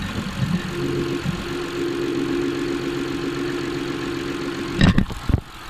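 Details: Honda J35A9 V6 at steady idle with a constant droning whir, then handling clatter; noise loudest at water pump and tensor pulley, both feel firm and spin freely, no leak, cam pulleys ruled out; source unconfirmed.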